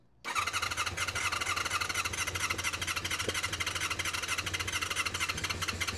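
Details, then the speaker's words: Honda VFR400 NC24 motorcycle after its blocked carburettors were stripped, cleaned and rebuilt, started on a boost pack; steady starter whirr with uneven firing building as the engine catches. "Oh, that sounds favourable. Don't want to overheat the starter motor."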